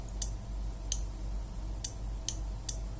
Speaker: So this LED is connected to this relay. You can also hear the clicking sound of the relay.